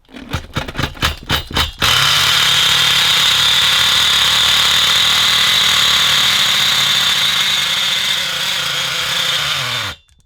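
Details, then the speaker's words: Twenty-year-old nitro RC monster truck engine, sat five years, first firing after compression improved: sharp pops then harsh ragged high-pitched scream, running very rough; owner suspects worn main bearings. "Well, that sounded bloody dreadful. That sounded awful."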